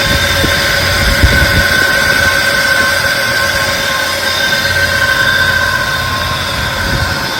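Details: 1999 Jeep Wrangler TJ Sport, automatic, 144,000 miles, loud noise from passenger side of engine: a steady high whine rides over a rough idle and doesn't waver.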